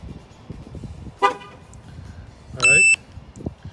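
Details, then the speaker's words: New 2018 Linkr LT1 remote alarm on a truck: single short high chirp after pressing lock, confirming doors locked and alarm armed; normal. "I'm gonna go ahead and hit lock. This will lock the truck and turn on the alarm and lock all the doors."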